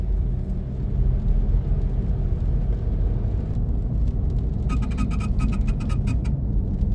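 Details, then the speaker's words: 2003 Toyota 4Runner driving and braking: a quick mechanical buzzing chatter of about two seconds over road rumble. It sometimes occurs without braking and has worsened over two years; the owner suspects a solenoid. "even sometimes when I'm driving without hitting the brakes, it sounds like some kind of selenoid or something's going off."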